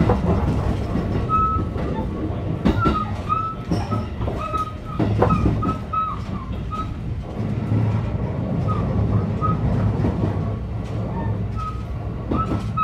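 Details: JR Biwako Line 223 series 2000 Special Rapid between Yamashina and Kyoto: over the rolling rumble, a repeated thud in step with wheel rotation while cruising, from a wheel flat.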